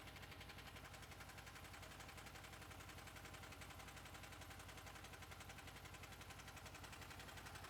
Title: Honda VFR800 VTEC engine clicking sound